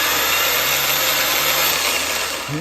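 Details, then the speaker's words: Truck starter's electric motor bench-tested with ground hooked to a battery: high rough whir with gritty, uneven edge as it winds down; worn electric motor bearing found on disassembly. "ground hook to a battery it spins but it don't sound great"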